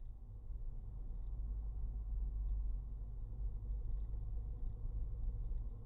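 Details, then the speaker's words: VW Polo 9N3 GTI 1.8T test drive after replacing the rear torsion beam axle bushings: steady low road rumble, the creaking from the rear suspension gone and bumps taken smoothly. "テスト走行したところ結果は良行ですギシギシという異音が消えたし段差の乗り越えもスムーズになりましたね"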